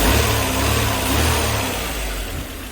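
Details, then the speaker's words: 1988 Mercedes 190E W201 after valve stem seal replacement, previously no-start and misfiring: clean rev rising and falling smoothly, no stumble or popping, no smoke; idle still slightly rough pending adjustment. "That's running really well, and there is no smoke, which is the most important thing."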